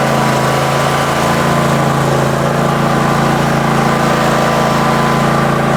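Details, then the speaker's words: Husqvarna 54-inch deck zero-turn mower, long stored in a shed, first start on a new battery: steady, even drone with smooth low pulse, no misses, surges or knocks; runs pretty good, normal running. "But it runs pretty good, and for right now, I'm gonna pull it back in."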